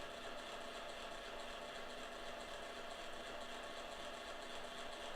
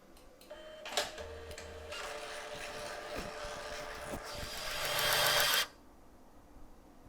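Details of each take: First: Kodak Advantix FD300 APS film drive loading a film cartridge: faint, unbroken buzz with a thin steady tone while film feeds, after crunchy, snapping, whipping sounds; source unclear, yet scanning worked. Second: Kodak Advantix FD300 APS film scanner rewinding film into the cartridge: light motor whirr builds for a few seconds then stops cleanly; quick, normal rewind.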